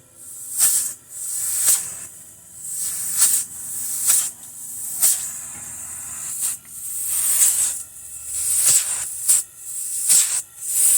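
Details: Embraco kitchen fridge compressor run on open air from a 120 V outlet, heard at the high-pressure discharge side: sharp hissing puffs about once a second with no rattle or knock; normal compressor running, discharge hiss.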